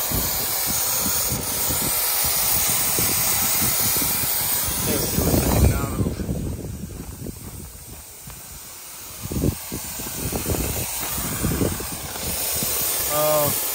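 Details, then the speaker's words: Gen 3 turbo LS drag car, overheated after a test drive: loud steady hiss with spitting bursts over faint engine as the steam port hose off the heads came off, spewing distilled water and Water Wetter coolant. "so what happened is a steam Port hose that comes off the heads actually just came off and it was just spewing out the distilled water and water weather that I had in the coolant"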